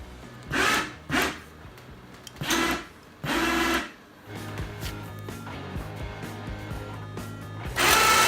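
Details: Harbor Freight (Badland) winch on a Yamaha Grizzly ATV, tested after replacing a failed relay in the module box: short even motor whirs start and stop cleanly in bursts, with music underneath; the winch pulls and stops normally, with no grinding.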